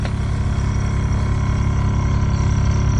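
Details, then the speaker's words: RV fresh-water pump that kept re-priming, after filter cleaned and refitted and lines aired out: steady low even hum and pulse with no surging or cycling; no hesitation, running normally and no longer re-priming. "that sounds good we don't have any hesitation in there pump's not running bad"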